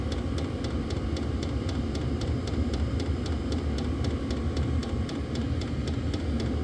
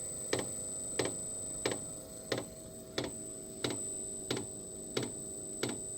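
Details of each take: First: Diesel heater on a lithium battery after restarting from an out-of-fuel stop, glow plug now off, set to high: even fan roar with steady fast pump ticking throughout; burning steadily, normal running. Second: Diesel heater restarting after running dry (E08 out-of-fuel code, tank topped off) on a 15 A lithium phosphate battery with smart charger, 12.8 V shown: sharp even dosing-pump ticks about every two-thirds second as it primes after glow plug preheat.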